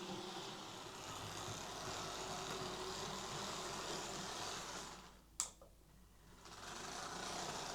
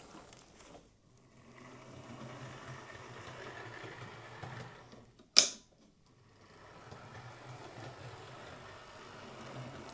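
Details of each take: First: Bachmann Class 24 model locomotive: small motor whirs steadily with a quick, uneven clicking rattle of about four per second. Suspected drive shaft issue, not confirmed. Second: Bachmann Class 24 model loco after servicing: it had made a clicking, rattling noise, suspected drive shaft, traced to dried-up grease; final test shows a quiet, even motor whirr with no clicking, one handling knock; runs smoothly.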